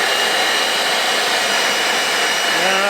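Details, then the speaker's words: Small handheld vacuum cleaning the cab: steady high free-running motor whir, no change at the nozzle, not picking anything up; weak suction, owner suspects the little filter is plugged. "Don't seem like it's sucking anything up. I have a feeling the little filter's probably all plugged up, so that didn't do me much good."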